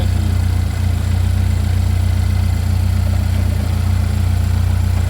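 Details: Chevy Equinox after an engine replacement, running just after first start-up: smooth, even low idle with a steady beat, no knocks, ticks or misses. Engine running healthy; smoke is blamed on stuff on the hot engine.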